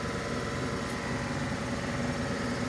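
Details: Mercedes CLA 250 idling uneven and lumpy with an irregular stumble in the exhaust pulses; fault code P030485, combustion misfire detected on cylinder 4.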